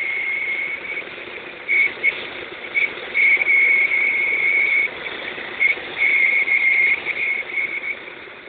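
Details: Opel X20XEV engine, warm, running quietly while a high, thin whistle comes and goes in short bursts. The whistle appears only when the engine is warm; the cause has not been found.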